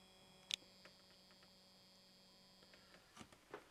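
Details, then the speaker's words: Enermax Liqtech 120X AIO CPU liquid cooler pump heard up close: a faint steady high buzz with light ticks and no rattle or gurgle. It runs quietly and normally, quieter than system fans. "hear it does give it a little buzz when it's inside the system you're not going to hear it above your fans your system fans are going to be much noisier than this"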